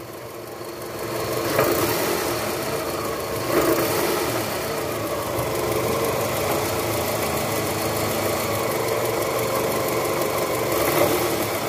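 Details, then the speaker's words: 2004 Toyota Camry with 2AZ-FE 2.4 engine, 98,000 km, cold, in reverse with AC on: a faint loose "krok krok" rattle at the bottom of the engine that fades when warm. The balancer shaft was found worn and loose. "Jadi, suara ini jelas muncul saat mesin dingin, terutama saat AC dinyalakan. Bunyinya muncul seperti suara krok krok krok krok krok di area mesin."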